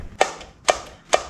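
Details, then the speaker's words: 1974 Yamaha Enduro throttle slide snapping shut in the carburetor, sharp hollow clacks about twice a second with short ring echoing out of the airbox; carburetor cable and slide work freely though oil pump cable is broken; normal slide movement. "that is the sound of the slide moving up and down and echoing out of the airbox here."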